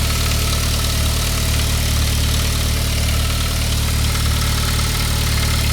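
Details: 1999 Saab 9-3, 110,000 miles, after a head gasket job, lifters hard and oil pressure high: steady cold idle with a fast, loose rattle that goes away after a couple of minutes; upper timing chain guide, solved by replacing it.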